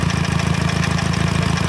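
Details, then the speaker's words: Nissan Sentra with a GA16DET, recorded in the engine bay: a steady low rumble with a fast, even pulsing throb; the owner hears it coming from the transmission and suspects a failing input shaft bearing (unconfirmed). "I know it's dark you can't see nothing but that's what that noise sounds like from right in the engine bay"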